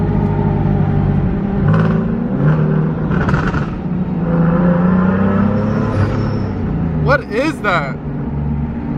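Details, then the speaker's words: Single-turbo 370Z Nismo, after fuel pressure regulator fitting and fuel rail leak repairs, driving: engine rumble with a brief high wavering squeak. Boost leak from a charge pipe blown off behind the bumper; owner first feared a bad turbo. "drove it and found that it was making like this weird noise it was like a squeaky noise I've never heard in any of my cars"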